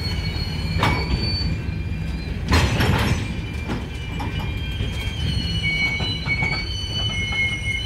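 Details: Union Pacific 6644 freight train leaving Mesa Yard, recorded 6/25/2021: deep rolling rumble with loud clangs of cars banging together and thin squealing tones coming and going; wheel squeal before the train stopped and was later fixed.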